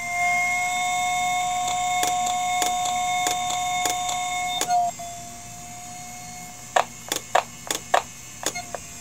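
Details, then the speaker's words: Failing IBM "DeathStar" hard drive heard through an electromagnetic pickup coil: high whine dips and recovers as the motor slows and resets, then irregular ticking as heads return to stops and retry loading firmware. "you can also hear the motor every time it dips a little bit that's the motor slowing down resetting and coming back up to speed or at least trying to get back up to"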